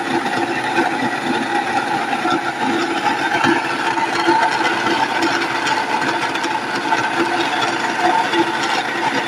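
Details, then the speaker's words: Nutrimill Harvest grain mill grinding wheat berries on the fine setting with a steady, even, gritty whir; normal milling. "Then you can hear the stones clicking, making noise. Put a few berries in. Now go ahead and make it fine."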